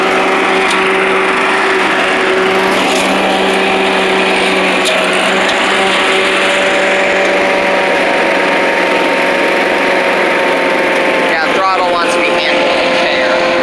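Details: Old Rover Turbothrust mower built in Brisbane, Australia, no battery fitted, cutting grass into the bagger: a steady high drone, pitch barely sagging under the grass load. Normal running under load; owner thinks the blade brake shoe may need replacing.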